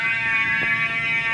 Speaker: Christ, bro. This shit's so [ __ ] loud. This is [ __ ] so loud.